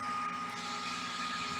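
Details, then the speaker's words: Xbox Series S cooling fan, console off, fed a steady 12 V with the speed-signal pin removed: loud, constant rushing hiss and whine with no speed change; fan forced to full speed. "So if we remove this pan here and that's going to push the fan to go for a whole speed like a full speed. You hear the fan? That's a full speed."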